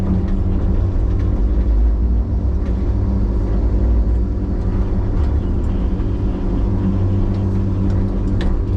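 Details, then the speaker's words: Loader with hydraulic problems after a fire, running: a heavy, continuous low buzz and rumble felt as badly as it sounds, like a rotating bearing; power and flows are fine, cause not pinned down. "So that buzzing noise that you can hear, it feels as bad as it sounds."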